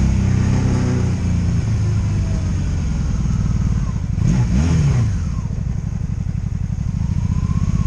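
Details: 2002 Honda Magna VF750C, warmed up, ridden in gear on its first non-stop test run after it previously died in gear: steady engine pulling and easing off with road noise, no stumbles, ignition cuts or bucking; normal running.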